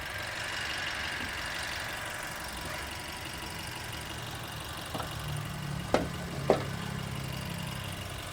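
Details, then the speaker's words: Dual VVT-i engine after being disassembled four times, hood open after a 30 km drive: smooth even idle with steady low hum, no more chirping "cit cit" noise, only a couple of stray taps. "Alhamdulillah ya, enggak ada suara cit cit cit cit cit."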